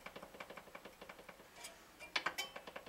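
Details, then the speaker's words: Guitar straightedge rocking on a single high fret causing fret buzz, during filing: light quick clicks several times a second; the fret is still high but less than before. "that fret was I shouldn't have measured it it was quite High very high compared to the others"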